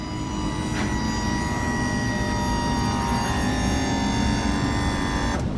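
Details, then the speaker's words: Salvage Ferrari 360 F1 transmission: the hydraulic pump gives a steady electric whir of fixed pitch for about five seconds when the door opens, then cuts off. This is normal priming; the pump had been working intermittently and is suspected to be failing. "That's the noise of the pump priming, getting itself ready for you to drive."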